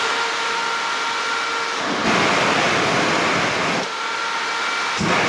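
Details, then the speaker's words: New radiator fan for a VW T4 Syncro van, bench-tested after plastic rubbing was ground and sanded off: steady whooshing airflow with even hum, no scraping or ticking; normal fan operation. "So let's see how it works. This have quite a lot of power, so can I hold it? Yeah. Now it runs quite nice."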